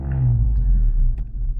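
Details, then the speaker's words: 1997 Ford Escort Ghia Cabriolet 1.8 with idle meant to sit around 1,100 rpm: low rumble that hunts up and down and sags sharply toward stalling after a sudden rev; the owner suspects a faulty idle control valve, not yet replaced. "it will drop way down low and probably store right"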